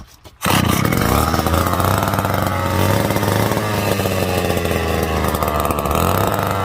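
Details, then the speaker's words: McCulloch Super 250 chainsaw, after its rotted gas tank was mended with JB Weld and is now dry, fires within half a second and settles into a steady, even high idle with no misfire or surging; runs clean and healthy. "Oh boy, told you it run. Well, that makes me happy."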